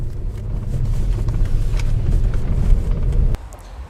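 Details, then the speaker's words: Nissan Qashqai J10 (40,000 km when bought) front suspension over small bumps and ice: irregular metal-on-metal knocks and rattles over low road rumble, built up over 3 months; mainly worn front stabilizer bar bushings, replaced. "вы надеюсь слышали у нас тут целый букет и гремит и дребезжание и стуки железо по железу накопилось все за последние 3 месяца гремят больше всего втулки стабилизатора давайте наверное с них и начнем"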